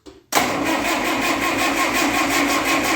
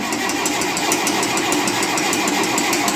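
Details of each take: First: 1958 Oliver 550 diesel tractor, in neutral after reassembly, cranking to push fuel up the injector lines. The starter churns at a steady beat of about three per second with no firing: only a faint mist of fuel reaching the injectors, not enough to fire. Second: 1958 Oliver 550 diesel tractor after reassembly, started outside and running with no smoke. Even clatter with steady pulses about three times a second and no stumbling: a normal, healthy diesel run.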